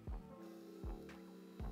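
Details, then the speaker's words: Replacement auxiliary (heater) pump for a 2000 BMW 740i E38, bench-tested on a power supply: faint steady electric hum, smooth spin, no rattle or grinding; it runs fine, confirming the car's original pump, which threw error codes and wouldn't run, is bad. "so that one's running fine so it looks like what we've got is exactly what the reflecting is this guy is bad"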